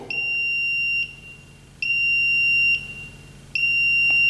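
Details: Smart circuit breaker (RCBO) under test with phase and neutral disconnected and phase fed from outside for simple grounding. It limits leakage to 7 mA and still signals: three long shrill beeps, each about a second, repeating every couple of seconds. Earth fault alarm.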